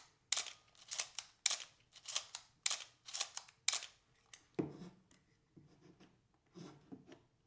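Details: Canon A-1/AE-1/AE-1 Program after oiling the squeaking mirror gear: crisp paired mirror and shutter snaps about every half second, clean with no squeak; mechanism working normally.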